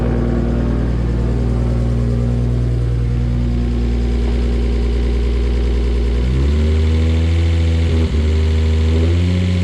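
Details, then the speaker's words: First start of a freshly rebuilt, fully forged RB25DET in an R33 Skyline, rough idle with throttle blips: fast, light ticking about four a second; hydraulic lifters are noisy because oil has not reached them yet and should quiet down. "mohandro leg lift is a very noisy at the moment oil going to them yet quite down"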